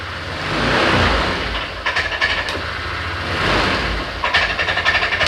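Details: Honda Click 125i scooter that is hard to start and will not rev: the engine swells on the throttle, then sags and stutters in choppy bursts; clogged fuel injector starving fuel.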